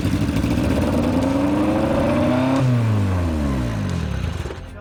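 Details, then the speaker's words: 1987 Acura Integra, first start with distributor held by vise grips: engine fires and shoots straight up to about 4,500 rpm, hanging there before dropping away; runaway high idle, cause not yet determined. "But now, it wants to rev really high up in the RPM range right when it's turned on. It shoots right up to around 4,500 RPM and kind of hovers right there."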